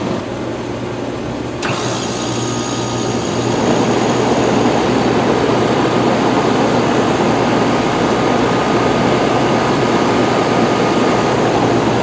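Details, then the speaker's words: Rheem Classic 4-ton central air condenser from 2002–2003 with Copeland scroll compressor, restarted during first 2022 run; quiet, then sudden start settling into steady low hum with smooth fan whoosh and no rattles; normal healthy condenser startup. "Very nice sound. That one I was able to actually hear."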